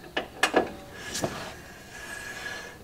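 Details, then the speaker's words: Classic car rear drum brake being adjusted by turning the star wheel with a screwdriver from behind: sharp ratchet clicks, then light rubbing drag as the wheel spins; adjuster taking up shoe slack. "so now I'm going to take my screwdriver go in from behind and start turning the star wheel and you can hear it clicking as I'm doing that"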